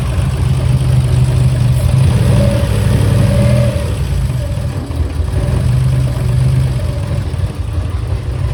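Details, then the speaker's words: Turbo Nissan Z31 after sitting a while, slight smoke, smells of gas: deep, uneven idle that swells and sags, hunting. Owner says it is running a little lean. "It smells like so much gas. We're running a little lean."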